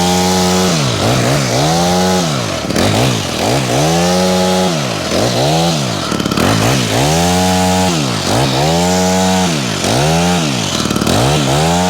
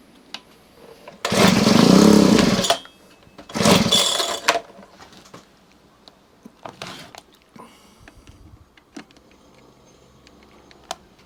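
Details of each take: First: Honda HHH25 two-stroke hedge trimmer after a carburetor replacement and idle adjustment: repeated throttle blips rise cleanly to high revs and fall back to a steady idle without stumbling; more responsive, running healthy. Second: Honda HHH25 two-stroke hedge trimmer with a newly fitted replacement carburetor, idle not yet adjusted: two short revving bursts, then it dies instead of settling. It will not idle because the idle speed is set too low.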